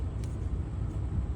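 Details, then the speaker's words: Brand-new diesel truck that cranked but wouldn't start: the water-fuel separator was nearly empty, so the system likely wasn't primed from the factory. After priming it starts and runs with a deep, steady rumble and no misses. "then the truck started this is a brand new truck so from Factory they probably didn't Prime the system and that's all it was"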